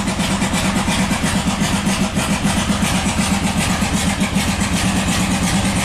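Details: 1997 Buick Century 3.1 V6 at full throttle with the oil light on: weak, uneven chuffing at about four lumpy pulses a second with no steady rhythm, running on one or two cylinders. Severe misfire.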